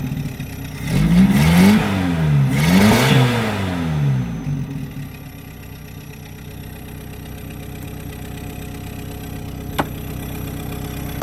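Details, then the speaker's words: 1976 Toyota Hilux Chinook with a 20R engine, revived after sitting for years; revs climb sluggishly, then sink to a muffled, lumpy idle. The muffler was suspected clogged. "Something in the exhaust. So I'm guessing that muffler is just clogged tight."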